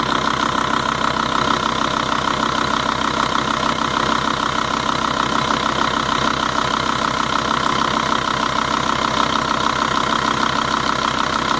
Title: 2.5 TDI volvo-audi engine ticking noise